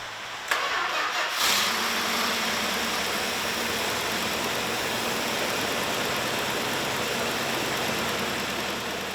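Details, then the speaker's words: 1968 Imperial LeBaron, freshly rebuilt 440 Magnum V8, first start after reinstall: starter cranks briefly, then catches and settles into strong even run without misses or knocks; normal start, though misfiring appeared minutes later, suspected distributor. "and it was a nice reward to hear that 440 Magnum start for the first time. The car had come to life and it was music to my ears."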